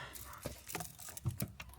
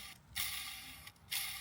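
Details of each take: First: Audi S1 bought as a non-runner, started right after an oil and filter change: clean catch and smooth even idle, the earlier clutch noise gone; owner suspects old dirty oil was the cause. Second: Audi S1 with gearbox removed, clutch release bearing turned by hand: two dry, gritty scraping passes from a worn, rough bearing needing replacement; flywheel also has play.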